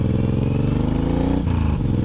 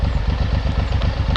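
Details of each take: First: Suzuki M109R just back from two weeks in the shop (oil change, new clutch plates, idle tuned, clutch handle fixed), riding: a steady, even V-twin thump, pitch dropping cleanly through a shift with no clatter or misfire; the engine sounds healthy. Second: Suzuki M109R just back from the shop with new clutch plates and fresh oil, idle reset to the factory setting: a lumpy V-twin idle whose beat drifts slightly faster and slower; the idle is hunting, and the rider wonders if it's normal.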